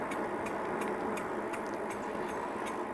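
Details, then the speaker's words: Amyet S8 electric bike on a ride. Light, sharp tick about three times a second, keeping pace with wheel speed, "chicka chicka"; likely disc rubbing the brake pads though rotor looks straight. Rhythmic ticking while riding. "Yeah, you can really hear that thing going chicka, chicka, chicka, chicka."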